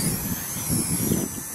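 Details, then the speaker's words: Blade Nano CPX micro helicopter with brushless kit, on new Charsoon 3.7V 250mAh 1S 30C lipo replacing 150mAh batteries that hit low-voltage cutoff: thin high motor whine surges and holds on hard punch-out, no sag or cutout; plenty of power. "oh and this has got plenty of power it's actually kicking the tail out when I do a hard punch out"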